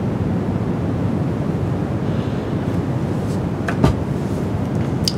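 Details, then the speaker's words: Rodecaster Duo with Sennheiser MKE 600 shotgun condenser mic: steady low rushing hiss with faint clicks, excessive noise floor; owner suspects faulty 48V phantom power. Excessive noise floor hiss. "you can hear that like really hum not hum but it's it's like this low-l noise floor"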